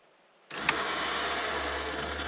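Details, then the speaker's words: 1985 Porsche 928 S Euro, inside the car with ignition on, central lock button pressed: power comes on, one sharp clunk as the original central locking unit, previously not working, throws, then a steady hum; locking now seems to work every time. "Hear that? So now it's working. I got it to work. It seems to be working every time."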